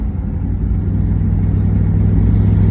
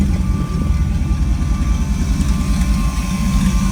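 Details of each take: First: LS-swapped OBS short-bed truck, first drive after the swap, no mufflers fitted: loud deep open-pipe V8 rumble, steady and even with no misses or knocks; runs well. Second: LS-swapped OBS short bed truck after earlier fuel injector and fuel leak problems: V8 holding a steady, lumpy idle with a thin, constant whine on top; it keeps running without dying.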